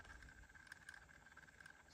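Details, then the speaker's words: Arsvita Bluetooth cassette adapter in a classic car's original cassette stereo, inserted upside down: faint steady high whir under background noise, left channel poor; sounded fine on both channels once flipped over. "Left channel sounds like dog duty. Yeah. So that's not great. It's not a great start. Kind of makes a weird little noise,"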